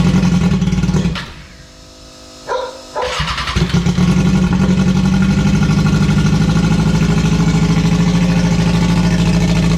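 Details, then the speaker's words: K24 jet boat engine, EMS ECU, first start after build: fires, briefly stumbles and dips, then catches into strong steady even run; everything works, normal start-up and running. "so yeah as you can see it all starts up everything works well"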